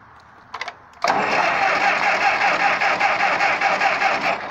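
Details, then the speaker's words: Ferguson TO-20 4-cylinder gas tractor cranks strongly and evenly at about two and a half beats a second but never fires; crank no start, next checked distributor cap contacts and ignition. "So I had plenty of good cranking, but it still wouldn't start. Here's what it was doing."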